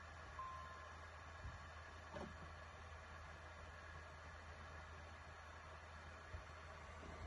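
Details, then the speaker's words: PS4 Pro after thermal paste replacement (Thermal Grizzly Carbonaut pad) fixing jet-engine fan noise, at startup before running a game: only a faint steady low hum, fan runs quietly and evenly; normal quiet cooling fan. "I started to hear the fun but not nothing as it was before"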